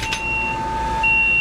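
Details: Control panel of a three-phase domestic water pump supplying floors one to six, as the motor is bumped to check its rotation, which turns out reversed. Two steady high beeping tones over a low hum, then cut off. Panel alarm.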